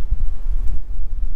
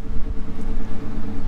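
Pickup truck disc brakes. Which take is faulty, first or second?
second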